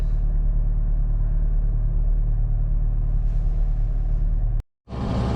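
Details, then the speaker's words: Engine idling on 100% ethanol just after starting: low, steady rumble with no stumbling or misfire, idling normally. "Et voilà. Et du coup là on tourne à 100% d'éthanol."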